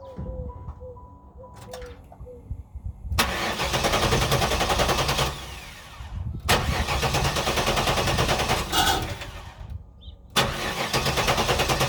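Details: 1994 Pontiac Trans Am Formula V8 that died under hard acceleration, now cranks without starting; opti, coil, ignition module replaced, has spark and fuel, low fuel pressure suspected: three long starter bursts, about three turns a second, never fires.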